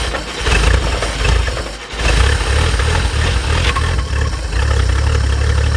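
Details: 1950 Chevrolet Fleetline Deluxe after sitting for years: brief cranking, catches at about two seconds, then settles into a deep, steady, even idle; starts and runs normally.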